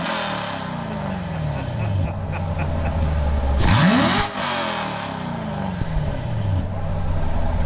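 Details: C7 Corvette V8, headers, X-pipe, stock exhaust, heard from the rear: deep steady burble, quick clean blip sweeping up and back; healthy rev, no misses.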